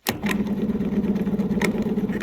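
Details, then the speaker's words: 1938 Chevrolet Master Deluxe, sitting since the 1970s: starter whines steadily with sharp clicks, not properly turning engine; starter suspected not fully engaging flywheel teeth, likely weak starter. "is that what a starter motor is supposed to sound like no it kind of seems like it I'm not sure I think we found the issue we may have found the issue"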